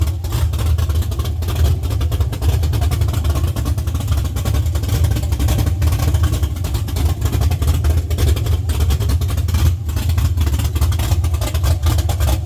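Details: LS-swapped Chevy C10 on Holley Terminator X, first start after sitting 3 years: low, rumbling V8 runs evenly and picks up cleanly when blipped, no misfire, knock or rattle heard.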